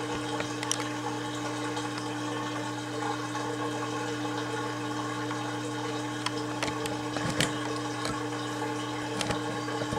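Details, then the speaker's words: Kenmore (LG) 796.41392.511 front-load washer, 5 years old, draining after test fill above normal level: steady low hum with water gurgling, even unchanging pitch; when pumping stops it's safe to turn off; normal drain pump operation. "so there you go when you hear the water stop pumping that means it's safe to turn it off"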